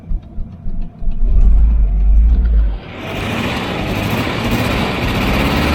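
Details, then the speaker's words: 1988 Volvo 740 GL, B230F 2.3 petrol, first drive after 10 years: deep rumble revs then settles into an uneven, stumbling beat under light load; missing, possibly on two cylinders, owner suspects bad old fuel. "hmm she's probably picked up some hasn't she from the from the fuel misfired and then died you can't stay here girl"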